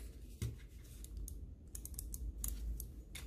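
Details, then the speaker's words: Cooler Master MM710 mouse after the post-travel and wobble fix: short, sharp, crisp clicks with almost no post travel. A faint rattle from the zip-tie heads added in the front may be audible. "can tell the difference okay almost no post travel super-crispy you can barely tell that the mod was done"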